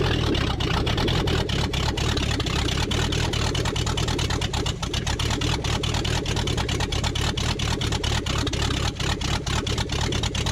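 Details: 1969 Buick Riviera 430 big-block V8 with no exhaust manifolds fitted: loud, raw, rapid cracking from the open ports over a lumpy, uneven run. It spewed transmission fluid afterward, and oil was seen at the rocker shaft area.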